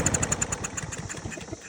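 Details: Briggs & Stratton EX 675 Yard Force mower, test-started with the air filter removed: it pops into life with an uneven chug, then dies within two seconds. This rules out the filter; a dirty carburetor is suspected.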